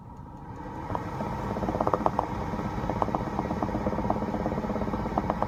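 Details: 2016 BMW X5 F15 at idle: irregular sharp pops and bubbling ticks over the low hum; bubbling/popping noise, source unclear.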